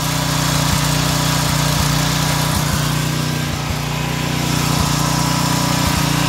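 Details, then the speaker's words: Small single-cylinder engine on a new pressure washer, running on vegetable oil instead of motor oil, warmed up. Steady governed full-throttle drone with even firing, no misses or knocks, no smoke; sounds smooth and healthy. "and does she not sound like she's running smoother i i think the vegetable oil is like starting to marinate all the engine components starting to sound really good now"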